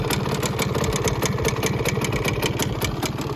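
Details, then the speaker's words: 1971 Suzuki TS185 two-stroke first start after years sitting, idling a little too low, exhaust leak. Fast, uneven rattly patter over the idle beat; something rattling inside, condition uncertain, needs closer look. "so it is idling um probably a little too low doesn't sound super at idle which is to be expected there's a lot a lot to do still on this bike um it sounds like something's rattling in there"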